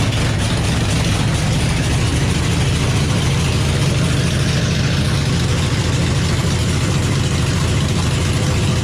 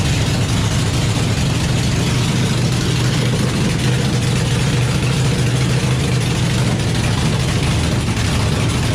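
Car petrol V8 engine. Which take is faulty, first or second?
second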